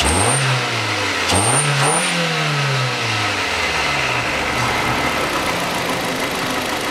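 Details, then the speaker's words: 2006 Hyundai Accent 1.5 (TagAZ) that had misfired, knocked and lacked power, after fitting a new ignition coil with condenser; engine revs up and back twice smoothly, no stumble or exhaust popping: normal revving. "никаких не провалах него perdido ты не стреляет в глушитель работает ровно"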